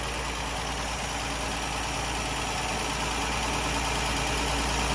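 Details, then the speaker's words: Ford Granada Mk1 3.0 V6 Ghia, choke out, running on its own fuel tank. A steady, even, smooth idle with no knocks or misses: normal. "So that's officially running on its own fuel now, and its own fuel tank. Listen to her purr."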